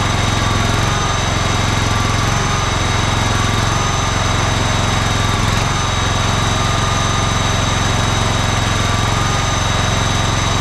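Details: John Deere LX186 riding mower with a 17 hp Kawasaki engine, run after air cleaner refit on an auxiliary fuel tank, fuel shutoff solenoid still dripping slightly; small single thumps at a fast, even pace with steady buzz, no misses; normal running.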